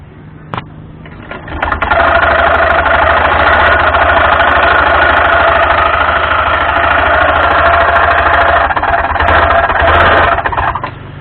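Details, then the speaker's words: Honda Scoopy (Scoopy Donut) automatic scooter: loud, rough, rattly whirr at idle, constant over low engine drone; damaged front pulley roller housing and drive belt. "Nah, cukup kacau bukan bunyinya? Namun jangan panik. Ini adalah bunyi dari rusaknya rumah roll bagian depan atau puli depan dan juga panbel."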